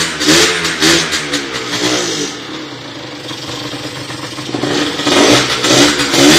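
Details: Motorhispania RX50 Racing / Peugeot XR6 50cc two-stroke moped, started on choke after side stand replacement, cooling not yet sorted: surges and sags between blips, won't idle evenly; runs poorly, needs choke to keep running.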